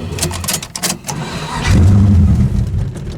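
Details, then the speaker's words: Tunnel-rammed V8 in the '74, cold start at about 38-39°F with the fuel pump off after one pat of the throttle; starter click, fires right off into a deep steady rumbling idle; normal cold start. "Oh, she fired right off. It's about 39, 38 degrees. Well, there you go. That's a cold start."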